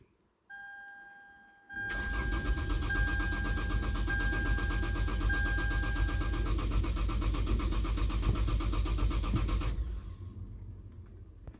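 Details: Car cranking after the chimes: starter turns over steadily for about eight seconds and never fires; crank no-start caused by a bad fuel pump.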